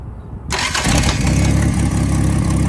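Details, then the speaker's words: 1975 Dodge pickup after a new, smaller replacement starter was fitted: a brief crank catches within half a second and settles straight into a steady, even idle; the starter sounds good, normal start. "The starter sounds really good. Yeah, I was worried 'cause it's a lot smaller."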